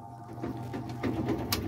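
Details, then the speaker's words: Semi-automatic washing machine spinning with a clothes load and the spin cap fitted: steady low hum with soft swishes, no banging or rattling. Without the spin cap a loud spin noise occurs; with it the spin runs stable and quiet. "यह spin sound अभी नहीं ए रहा यह stable चल रहा है ठीक है इसमें कपड़ा भी डाला हुआ है से उतना ही कपड़ा डाला हुआ है उसके बाद भी इसमें कोई साउंड नहीं ए रहा है क्योंकि इसमें स्पिन कैप लगा हुआ है"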